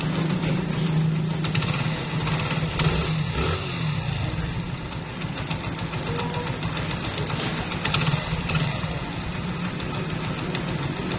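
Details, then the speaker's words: Old, high-mileage Honda Pridor single-cylinder engine after timing chain replacement: steady idle with light, even tappet tapping and no chain rattle; the timing chain noise is completely gone. "Timing चैन की आवाज बिल्कुल खत्म हो चुकी है इस engine के अंदर और भी थोड़ी बहुत आवाज हैं"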